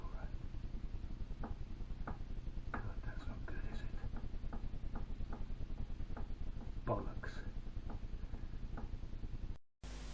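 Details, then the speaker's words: Moto Morini 250 2C engine with the rod rocked by hand: sharp metallic clacks about three per second from excessive play; at least one big end bearing is gone, and a piston circlip was found missing. "so there we go I now have an engine to rebuild at least one big end that's gone and maybe other little mistakes in it"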